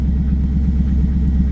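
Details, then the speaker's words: Pontiac Trans Am WS6 LS1 V8, 6-speed manual, about 63,167 miles, warm, just under 60 psi oil pressure at idle: smooth even deep rumble, no knocks, misses or ticks; normal idle (owner notes unexplained cold-start surge). "But yeah, other than that, a very clean running LS1. Sounds healthy."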